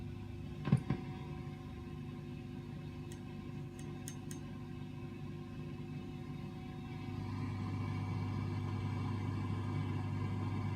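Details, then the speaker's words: 1960s Australian-made Strauss Emperor tube guitar amp after replacing all electrolytic caps, plate resistors and cleaning pots, cranked with volume down: steady low hum with faint hiss, no crackle; amp quiet and healthy. "pretty much just that faint hiss coming through well I say faint I mean that's correct right so amp is nice and quiet"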